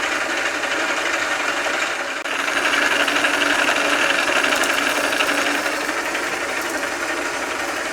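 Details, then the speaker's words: South Bend lathe nylon change gears running with oil pumped in through the guard's recirculating oil system; soft even whirring with light regular ticking, no harsh whine or clatter, quieter with each pump; normal gear train running. "oh I like it gets quieter every time I pump it"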